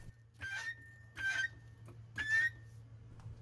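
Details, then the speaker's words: Pittsburgh floor jack, a few months old, lifting a Pontiac G5 for a front brake job: three sharp, high-pitched squeals, one per pump stroke, over a quiet hum; the jack squeals as it lifts. "Unfortunately, this Pittsburgh jack I just bought a few months ago sounds worse than even these brakes when it's lifting."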